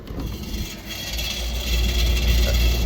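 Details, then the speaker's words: Rough, worn blower rumbling and throbbing about four times a second on a beat-down R22 unit installed in 2003, just after its blower wheel was cleaned and airflow improved (supply 40, return 87 inches water column); the blower sounds bad and replacement is suggested. "The unit's doing everything it can, but good gosh, listen to that blower."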